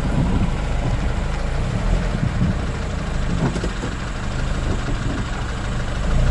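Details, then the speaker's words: Honda CR-V on full steering lock right then left: low rumble with scattered uneven crackles from the rear differential, which has gone past creaking to crackling; oil change doesn't always cure it. "наконец-то я дается доездился на той машине до такого состояния что она уже просто не скрипит на уже просто трещит"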